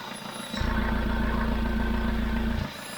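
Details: Tracker turbo diesel pickup after valve replacement, electromagnetic valve controlling the throttle butterfly with the turbo: deep, even diesel chug at idle with a steady pulse, no knocking or misses, slowly warming up; sounds normal.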